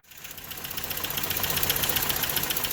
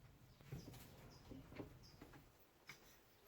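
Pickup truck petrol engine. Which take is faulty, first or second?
second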